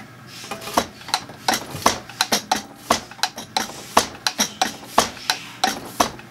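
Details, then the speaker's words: Zexel (Bosch) mechanical injector from a Kobelco SK160 excavator dormant about 17-20 years, on the pop tester before rebuild, popping near 210 bar: irregular sharp spurts, a couple of holes streaming instead of spraying; poor atomization, injector needs repair. "same thing atomization is poor a couple of the holes are streaming"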